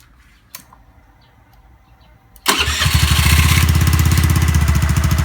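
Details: Honda Zoomer-X scooter after fuel filter and fuel pump motor replacement to fix hard starting and stalling: starter catches and engine settles at once into even, steady idle without stumbling; normal start and idle.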